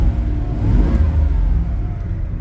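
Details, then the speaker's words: 1993 Chevy Beauville van, 350 V8 with 4L60 four-speed automatic, restarted warm after a drive and idling in park: deep, even V8 rumble holding steady without misses or knocks; normal, super smooth idle. "turn it off I'll start it back up and hear the engine running"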